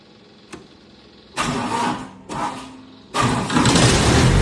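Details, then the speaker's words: 2011 Miller D550 HO CC/CV diesel welder generator after a full service (fuel and oil filters, oil change, fuel-water separator cleaned, air filter blown out). The diesel cranks, catches, dips, then settles into a steady, even run with loose-panel rattle. It previously struggled to reach high idle; now normal running. "Well, she's a runner again. Sounds good."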